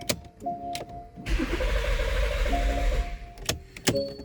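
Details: 2014 Porsche Cayenne (92A) cranks steadily for about two seconds but never fires; ignition on with PSM failure message, key recognized; engine timing suspected, cause unconfirmed.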